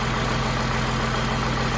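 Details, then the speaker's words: Humvee with a swapped-in Cummins diesel, started in the garage: a deep, steady idle with an even low rumble and no misses or knocks, smoking but sounding like a healthy runner. "start her up and see what she says and hopefully we don't die from exhaust fumes in the process sounds good sounds like a runner"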